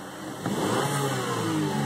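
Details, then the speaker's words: 2011 Buick Regal 2.0 L turbo, automatic, stock at 216 whp, revving. A faint thin whistle rises as boost builds: normal, mild turbo whine. "Now you can hear a little bit of the turbo whine, not much."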